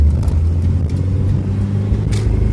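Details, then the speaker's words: Chevrolet Cavalier under hard acceleration, heat-soaked after driving, with a cylinder (number 4) cutting in and out and sometimes running on three cylinders: low rough roar with uneven choppy pulses; misfire under acceleration, cause unconfirmed. "that cylinders cutting in and out in and out before on the way up here you could punch it all he wanted and the cylinder was fine but now he's shutting off and heat soaks and then it's game over"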